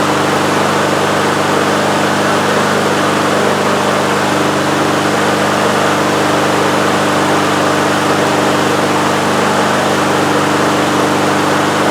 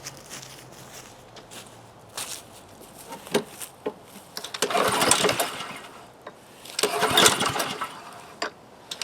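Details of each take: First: Husqvarna HU800AWD mower, Honda GCV190, started first pull and warmed up with choke fully open: steady even drone with no surging or hunting; running smoothly, an improvement, though not perfect. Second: Husqvarna HU800AWD lawnmower with Honda GCV190 and automatic choke, with gas, oil and fuel valve open: ten pull-cord attempts give brief cranking bursts but it never catches. No-start; owner suspects the carburetor and will check the choke plate.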